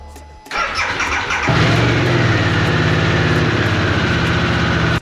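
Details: Harley-Davidson Sportster S, normal start: a brief starter whirr, then the twin catches at once and settles into a steady, lumpy idle. The owner says the starter clutch sometimes fails to start the bike until the ignition is cycled.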